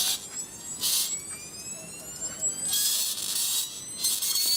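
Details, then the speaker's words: 1980s flyback driven through its internal primary by high-frequency tones played from CD into a small power amp with protective resistor: high whistling bursts, faint crackle; weak arc because the amplifier is underpowered. "live power amp not much not much arc very low power driver cool yeah this is not powerful enough i'm afraid"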